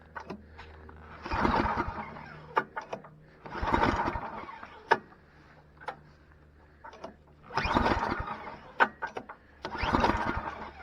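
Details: Free, previously dead snowblower small engine, fuel leaking past a spring-loaded part likely held open by junk, tried with starter fluid: repeated pulls, each catching about a second before dying.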